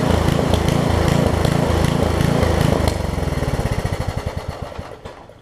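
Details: Craftsman 17-inch rear-tine tiller with 5hp horizontal Briggs engine, probably 1990s, tested after a new carb diaphragm; fires steadily and evenly, then is shut off and chugs to a stop. It runs and tills; a tiny diaphragm fuel leak remains.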